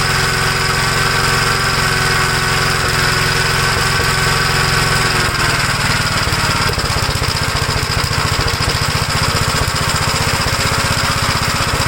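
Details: 1956 Gravely L single-cylinder tractor after moving over parts from the original carburetor to cure flooding: no more gas leak but still runs rough, thump going ragged and uneven halfway, about two beats a second; cause unknown, possibly damage from an earlier governor runaway.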